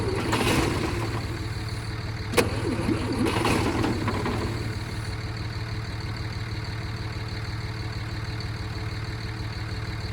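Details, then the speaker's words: 1968 Kaiser Jeep M725 military ambulance, unrun for 15+ years, during fuel-delivery testing; the starter spins the engine at a steady pace but it never catches, probably no fuel getting through. Owner suspects the factory fuel pump does not work. "that definitely should have done something there. So, I'm assuming that factory pump does not work, which is not a good thing."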